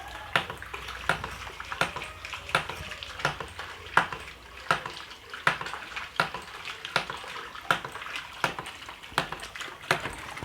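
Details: Hydram water pump, primed and flowing: sharp regular clacks about 80 a minute with running water between; waste valve cycling steadily, working normally; input water must sit higher than the pump, and a lower input gives small output.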